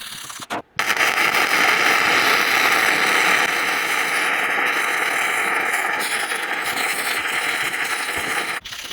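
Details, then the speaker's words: Sefaspe MIG-135Pro flux-core welder set around 100: steady even crackling sizzle about eight seconds, no pops or breaks; healthy arc laying a good bead. "That gives you an idea what it can do. Not a bad bead for flux core."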